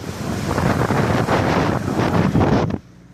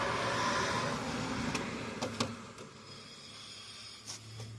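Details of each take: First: 2007 Saturn Ion driving after a loose wheel bearing was replaced: steady road and wind rush with no hum, growl or rhythmic roar from the wheel; drives smoothly, the bearing quiet. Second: 2007 Saturn Ion, wheel spun by hand: soft, raspy rubbing swish from a worn wheel bearing, also heard while driving and worsening with use; bearing to be replaced.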